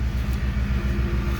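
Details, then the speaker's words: 2010 Ford Expedition EL Limited Max: new rear air suspension compressor, fitted to fix P1726 Check Air Suspension code, gives a deep, steady pulsing hum while pumping the rear back up; the old one didn't run. Normal operation. "Hear that little compressor running right away. The other one wasn't doing that, and you can already see it raising up."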